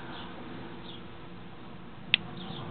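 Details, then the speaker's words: Refrigerator with Broco compressor making a single sharp click near the compressor over steady fan hum, repeating every few minutes after plugging in; owner suspects a bad start relay, to be replaced. "There it is. Click Wait a little few more minutes and she hit another click."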